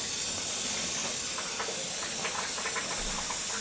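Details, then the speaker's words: Gas hot-water boiler zones being purged after a pipe repair with couplings: steady high hiss with faint gurgling spurts as air and water blow out of the zone lines. Normal purge. "Right now we're purging."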